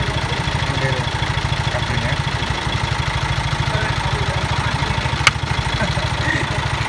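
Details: Car engine idling after a jump start from a motorcycle using 2.5 mm cables: steady clatter with even, regular firing pulses and no misses or knocks; running healthy.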